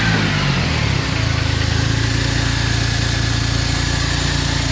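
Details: Turbocharged Smart engine started after new water pump, before final installation: catches and settles into a steady, even idle with a smooth rhythmic pulse, no knocks, turbo audible; running healthy.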